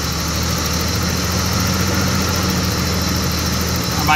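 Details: 1987 BMW 325es idling: steady, even idle held noticeably fast with no dip or hunt. High idle that drops when the vacuum line to the cold start apparatus is pinched.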